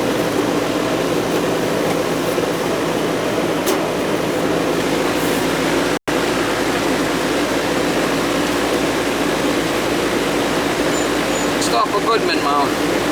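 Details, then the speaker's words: Goodman R22 AC condensing unit that was not running outside, after repair and thermostat switched on: smooth constant hum and fan whoosh with no chatter or buzzing; unit running normally and cooling. "oh yeah she's coming on nice and toasty here 's a runner"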